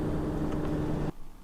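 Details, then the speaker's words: Cold 2007 Toyota RAV4 with about 265,000 miles, 53°F outside: radiator fans whir steadily then cut off, running because a faulty coolant temperature sensor reads 180–200°F; car cranks but won't start. "so it says it's 53 degrees outside and this this engine is Stone Cold but it's telling us that it thinks it's around 180 maybe 200 degrees and actually you can hear the cooling fans running"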